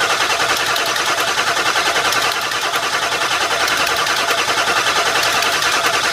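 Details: Ford F350 with fuel pressure under investigation: starter spins the engine at a steady rapid chug, about two and a half beats a second, but it never catches; crank, no start. Cause not confirmed.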